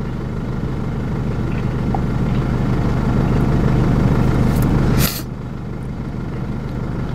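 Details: Jeep Liberty diesel after top-end and timing rework, with an intermittent stalling problem, idling while scan tool data is read (battery 13 V, charging): steady low rumble with an even beat, no misses or knocks, settling slightly lower near the end; healthy idle.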